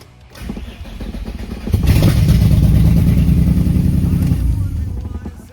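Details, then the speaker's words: Full JDM engine swapped into Nissan 350Z, first start after 3 months, exhaust disconnected: short crank then loud, raw, throbbing open-header roar; loud running with exhaust disconnected. "Hell yeah! Hell yeah, baby! We did something. Sounds like ass, but we did something."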